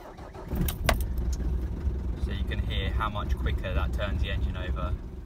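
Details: Mk5 Ford Transit 2.5 DI diesel van, new bigger battery fitted after cold-weather hard starting: quick, even cranking with strong low churn, no dragging or slowing; starter spins it over briskly. Normal fast cranking.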